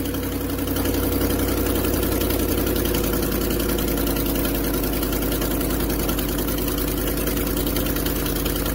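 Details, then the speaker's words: 2010 Ford F-150 5.4 V8 at cold idle: a fast, uneven ticking puff over the steady rumble, about three or four a second, from a cracked exhaust manifold. The noise largely goes away after about 5 minutes of warm-up. "That's quite annoying. So it'll warm up about 5 minutes or so, and the sound will pretty much go away."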